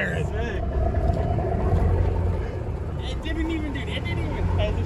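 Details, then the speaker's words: Abandoned Thomas Built school bus 8.2L diesel right after first start: deep, low rumble about four pulses a second, steady with no knocks; idle smoothing out nicely. "oh the idle's smoothing out it's not too bad she puttered oh yeah getting that good diesel smell oh there she's butter"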